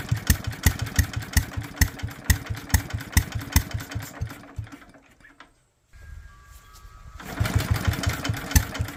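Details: Small single-cylinder Locke mower engine with no leaks and a dry bowl, spark confirmed: it chugs at a steady even beat, cuts out briefly, then picks back up and keeps running evenly; normal running.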